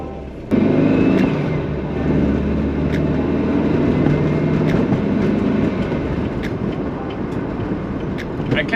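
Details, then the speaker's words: VW bus with narrowed front beam, driving on rough roads after spacing out the front shock that rubbed the beam edge: road rumble, engine hum, light rattles, no metallic banging; noise fixed. "noise is gone there was that shock hitting up against the edge of the beam glad the noise is gone"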